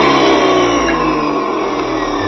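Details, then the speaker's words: Stanley 2000 max PSI electric pressure washer that wouldn't start, tested with GFI ground fault plug removed: steady even motor hum with constant high whine, no cutting out; runs normally, GFI plug to be replaced. "it is it worked all right that my friends is how you check a Stanley pressure washer"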